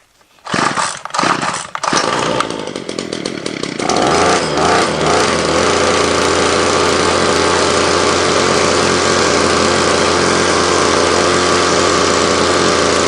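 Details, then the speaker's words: Ryobi line trimmer after repair of an incorrect fuel mix that caused heavy smoke and oil from the exhaust: pull-start bursts, then a steady clean high buzz, revving out fine, idling slightly high; running normally. "all righty so that sounds pretty good hey I'm going to do some more adjustments on it tomorrow"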